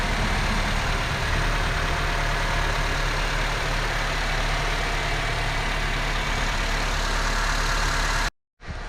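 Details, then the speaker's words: 2007-2012 Honda Civic four-cylinder idling after a spark plug replacement: even, steady idle with a smooth low rumble and no misses, knocks or ticks; running cleanly. "An engine. The rest smooth. Sounds like smooth."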